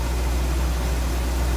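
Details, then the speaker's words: 1963 Ford Galaxie 500 convertible, 289 V8 with Cruise-O-Matic automatic, heard at the engine bay: steady, even low rumble with no misses, knocks or ticks; smooth-running V8 at idle; normal idle. "there's the engine bay smooth running nice tidy engine BAS as you can"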